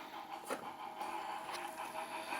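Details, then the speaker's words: Model 1 Sega Saturn that froze, after raising the spindle and swapping the laser: quiet, even disc spin with soft seek clicks and no stalls or grinding, still reading normally after about 90 minutes across several games. "it's been about an hour and a half, and it's still going strong. I tried 3 or 4 different games just to be sure, and it's working 100%."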